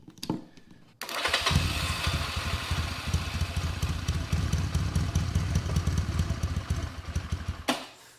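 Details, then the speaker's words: Vintage motorcycle first start on a squirt of starting fluid, no throttle: after quiet lead-in catches and settles into lumpy but continuous low idle firing without throttle, then cuts off; normal idle. "Oh, it's idling. You guys heard that, right? That was idling. Thing started up with this little squirt of starting fluid and it idled."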